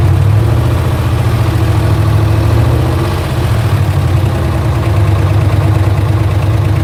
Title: LS1 Ticking Noise